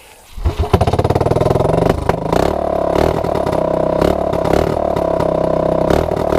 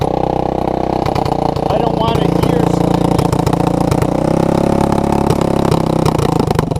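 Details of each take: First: Honda ATC200S ATV with new clone carburetor, cleaned after contamination, cold start on choke: catches first pull, fast even single-cylinder beat, cold but healthy. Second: Honda ATC200S with a new clone carburetor that starts easily but runs poorly; the owner suspects vacuum leaks or a contaminated carb. Warmed up after a cold choke start, the single-cylinder idle is "a hundred times better" but wavers and hiccups; the carb still isn't right.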